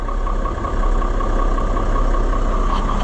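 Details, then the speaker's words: AGCO 9650 tractor diesel just after replacing belts, heard from the cab with blower on: even low idle with steady blower hum, no knocks or squeals; normal idle, though the intermittent AC compressor problem remains unfixed. "We obviously didn't fix the compressor problem, but it'll run for a little bit."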